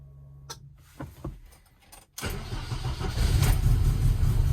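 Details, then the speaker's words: Car with a rewired aftermarket EFI, first start in months, in neutral with handbrake on, tune not dialed in: a few clicks, catches at two seconds and settles into a loud, slightly uneven idle; rough idle. "It's not going to start right because I messed with the tune and didn't dial it in. I'm going to have to tweak some stuff."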